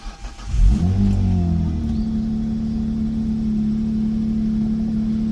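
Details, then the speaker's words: 2008 Hyundai Tiburon SE 2.7 V6 after new spark plugs, coil packs and grounding fixes: brief crank, catches cleanly, settles within a second to steady even idle, no misses or knocks; healthy start, though warning lights remain. "Well, that sounds like a pretty healthy start if you ask me."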